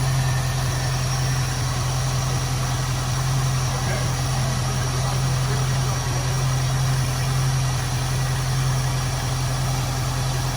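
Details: 1973 Ford Mustang convertible 302 V8, Motorcraft 2150 two-barrel carb, after idle mixture adjustment richened slightly; low even burble around 640–660 rpm in drive, steady with no stumbles or misses; healthy, well-set idle.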